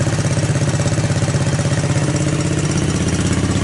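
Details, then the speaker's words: 1984 Honda ATC200S single-cylinder engine, still cold after a cold start, recoil starter repaired; quick, even putter holding a steady beat, no knock or misfire, no smoke; normal idle. "Still cold, obviously. Yeah, this looks like it's going to be a winner."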